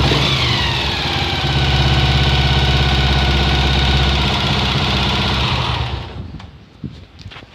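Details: Honda XLR single-cylinder motorcycle at idle: steady, fairly even knocking about three times a second over the exhaust note; strange engine noise of unknown cause.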